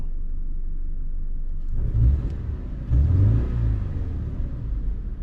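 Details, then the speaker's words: 2013 Subaru Impreza after engine swap following timing chain failure, earlier cam position actuator code: low steady boxer idle with brief throttle blips, even rumble, no misfire stumble; normal idle, running like a typical Subaru. "sounds like you're typical Subaru now yeah no that's getting way better"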